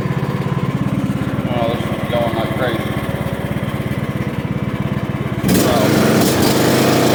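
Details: John Deere LA115 riding mower, 19.5 HP Briggs & Stratton, after drive belt and pulley replacement: single-cylinder pulses steadily at about 3.5 beats a second, then rises as it drives off under load; sounds healthy.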